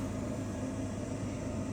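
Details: York Diamond furnace after replacing the failed inducer motor: even, steady air rush over a low hum, no rattle, squeal or grinding; hot air comes through the vents, furnace running normally.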